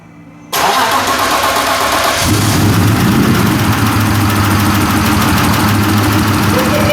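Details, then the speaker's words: BMW E36 M52B28 turbo first start with new turbo setup, metal oil filter housing, cranked first to build oil pressure: silence, then cranks, catches cleanly and settles into steady even idle that picks up slightly; healthy start. "That sounds good, eh? Jesus. Woohoo! Yeah, boy. That sounds insane."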